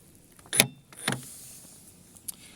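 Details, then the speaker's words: Lada Vesta SW Cross tailgate lock, which sticks in frost because the thick factory grease stops the latch from locking, shown before silicone spray; two sharp metallic snaps half a second apart, then a faint tick, as the latch catches and releases cleanly, working normally. "так вот сейчас видим всё срабатывает замок-защелка у нас фиксатор это защелкивается когда нажимаем на"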